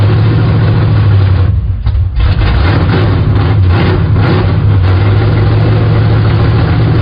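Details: 1974 Plymouth Scamp V8 after a new valley pan and intake reinstall: loud, deep, even rumble with a steady low beat and no misses or knocks; runs smoothly.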